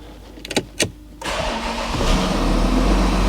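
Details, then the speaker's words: VW Touareg diesel, first start after sump refitted, no coolant, intercooler pipe issue noted: short crank, catches at once, settles into steady even idle with no misfire, knock or rattle; healthy first start. "Flipping heck, it started straight up. You hear it? I didn't expect it to start so quick, I'll be honest. It sounds spot on, that actually."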